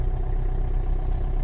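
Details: LDV V80 diesel idling after a new 2.5 kW starter motor fixed its five-to-12-second hard starting: a steady, even idle with a low, smooth beat and no misses or knocks. The engine is running healthy.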